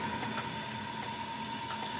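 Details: 40+ year old solid-state Blitzer Sting Ray electric fence charger, repaired, under a no-load meter test fence to ground (about 9,000 volts): crisp single ticks about every 1.3 seconds over a faint steady hum. Pulsing normally.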